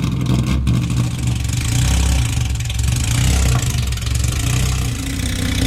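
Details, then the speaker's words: Cammed Nissan 350Z track car with the stock engine installed: a loud, lumpy, uneven idle that stumbles and surges and had to be shut off. The engine is flooded from running far too rich. "So it was just flooded because it's running so rich. Even with the stock engine installed, it's crazy loud."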